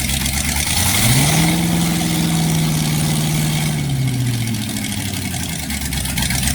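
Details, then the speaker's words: Freshly rebuilt 1960s Chevy 327 V8: even burble, short rev climbing and dropping back smoothly, then steady idle with no ticks or knocks; good oil pressure, sounds healthy. "Like you can see, our wonderful friend, Mr. Div's engine is running. Oil pressure. Everything's perfect. Engine sounds good."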